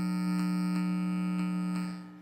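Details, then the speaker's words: Animated crystal ball prop head with power and audio sharing one circuit board: steady low buzz with a higher overtone, unchanging until cut off, a ground loop hum that starts when power is added. "so what's happening there that's um it's called Ground Loop so as soon as a a product is sharing the power source and the uh audio Source on the same circuit board you get what they call a ground Loop problem"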